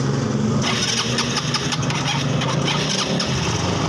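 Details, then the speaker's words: Yamaha Xeon after replacing burnt stator coil with a Jupiter MX one, old regulator refitted, new battery: engine catches at once and settles into steady, even idle with no misses; charging now works. "Jadi sekarang udah hidup, kita tes. Nah, udah hidup."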